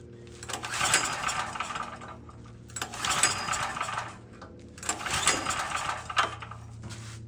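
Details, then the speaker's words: Cheap generator with 38 hours, bought as a non-runner. Three recoil pulls about two seconds apart, each a rattly whirr that never catches. It cranks but won't fire; the cause proved to be corroded contacts on the on-off switch, which were cleaned. "after a lot of screwing around and pulling a bunch of stuff apart and screwing with it, I figured out that the contacts on the on-off switch had some corrosion on them."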